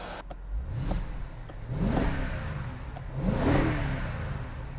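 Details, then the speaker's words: BMW E70 X5 N62 4.8L V8, warm after a long idle following valve stem seal replacement: a smooth idle with clean throttle blips rising and falling freely. No blue smoke appeared; the smoke and oil consumption issue is resolved. "that's one good sounding V8 it's been idling now for about 14 years so let's push the throttle and see what happens"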